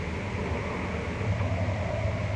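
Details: 2000 Dodge Ram 1500 V8 that had cut out while driving and then cranked without starting, no codes, now running after the computer connector was pushed back in tight: smooth, steady low V8 drone with no stumbling, misfire or cutting out.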